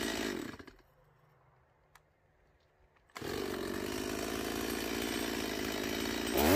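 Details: Stihl MS170 chainsaw after a fuel line replacement and the original Zama carburetor fitted in place of a non-adjustable Chinese one: after a quiet pause it snaps up under throttle to a steady, clean high buzz. It previously wouldn't start; now it runs properly.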